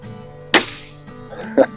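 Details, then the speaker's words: Beeman R10 / HW85 spring-piston air rifle after ARH Hornet kit tune; one sharp crack that dies away quickly with no ringing spring twang or buzz; smooth, well-tuned firing, normal. "I'm very pleased. I just love the sound of this rifle now that it's been rejuvenated, so to speak."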